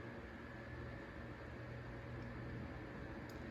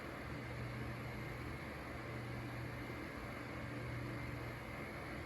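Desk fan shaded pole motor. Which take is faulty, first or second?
second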